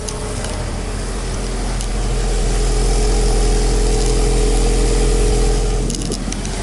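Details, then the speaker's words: Manual-transmission car being parted out, running after a completely dead battery: steady, even, quiet low hum at idle with no knocks, stumbles or surges. Normal idle. "battery was completely bad but she's on and quiet there's so much gas we currently have you can't even tell that it's on"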